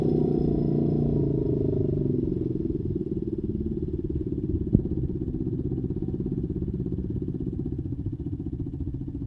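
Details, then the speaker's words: Honda XR200 after carburetor setup and idle adjustment, fixing a hard-start fault: small single settles from a fast, choked start into a steady, even idle with no misses or knocks; runs clean. "Ayan po guys napaandar na natin yung motor. Maganda na. Na-setup na natin yung karburador. Goods na siya."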